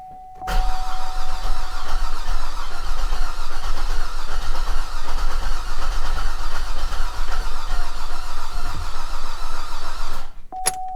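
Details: Flood-damaged Cadillac SRX, first start attempt after new starter install: about ten seconds of strong, even cranking with a light rattle underneath, nearly catches but won't fire; rattle unexplained, owner thinks it's probably flooded.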